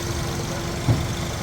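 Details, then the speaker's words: 2013 Suzuki Swift with code P0134 oxygen sensor after replacing leaking vacuum cap and EVAP valve: steady, even idle, RPM now stable, previously dropping; normal idle after air leak fix. "इस time गाड़ी start है, RPM stable है। पहले गाड़ी RPM गिरा रही थी।"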